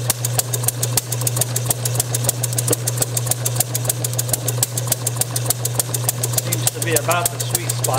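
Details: Bessemer model engine spun by an electric motor, Hall-sensor spark ignition, carburetor from a working vertical single, slightly rich, timing near top dead centre. Sharp pops three to four a second over a steady drone. Fires intermittently but won't run.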